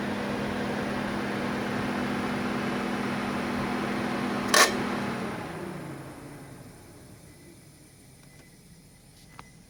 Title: Nissan Leaf 2.gen grinding noise from the heat pump after engine start, only when heatng/AC is on.